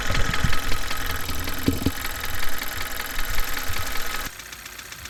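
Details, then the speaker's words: Engine at idle, noise pinpointed with a stethoscope at the valve area: light, quick steady tapping from the lifters, with the oil level then checked as a possible cause of the lifter tick. "All right, so it looks like we've pinpointed a problem. It's coming right here from around the valve area here, which is a pretty good indication that it's with the valves, the lifters in that area there."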